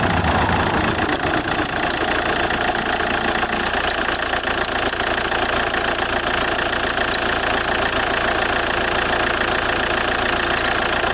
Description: JTD 105 weird creaking noise when engine is cold.